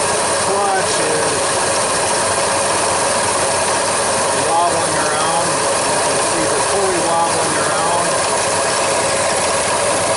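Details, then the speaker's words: 1999 Ford F-150 5.4L V8 with intermittent AC cooling and wobbling serpentine belt and tensioner, running: steady dry grinding, ratcheting rasp over idle from a worn AC compressor clutch pulley bearing. "truck is now running you can see now you can definitely hear the bearing"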